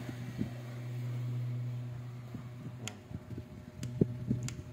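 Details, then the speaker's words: B-35 bass amplifier plugged in before repair: only a low steady mains hum, about 120 Hz, with no signal passing through; the power amplifier IC has failed. "saksak natin bale pag inom natin siya Ugong lang siya b walang aan Ugong lang"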